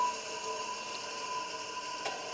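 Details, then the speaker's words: Baldor L1209 half-horsepower electric motor at speed: steady hum with one sharp click about two seconds in, centrifugal switch dropping out the starting capacitor as designed; slow starting blamed on faulty start capacitor. "right there you hear that little click in the back here there's like a little centrifugal clutch and when it starts it's in one spot and when it gets up to speed that clutch moves away and Spins out because of the centrifugal force and and kicks up the uh kicks out the the starting capacitor"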